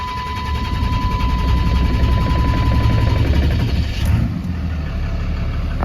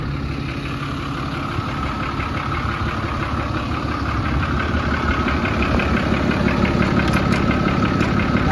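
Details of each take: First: 2010 Dodge Ram 5500 turbo diesel: uneven, lumpy low rumble that never settles into a clean idle; slow, hard starting that takes a minute to catch. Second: 2010 Dodge Ram 5500 turbo diesel, which owner says takes a while to start: steady, even diesel clatter at idle with a deep regular beat and slight rise in revs; sounds smooth and healthy.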